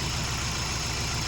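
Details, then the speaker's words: Scion xB with a used junkyard engine swapped in: lumpy, uneven idle with a stumbling low throb; pulling the number two coil made no difference, so it is a dead cylinder from a bad ignition coil, to be replaced. "No difference. That's a bad one."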